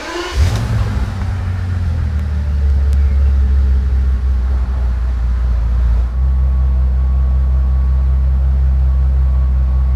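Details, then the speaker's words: Bentley Continental GT W12 after fixing misfires and engine ECU communication faults (previously running on fewer cylinders): smooth, even idle with a steady deep hum, no stumble; running cleanly on all 12 cylinders, no check-engine light. "Wie ihr sehen könnt, Fehler behoben. Er läuft wieder schön rund auf allen 12 Zylindern."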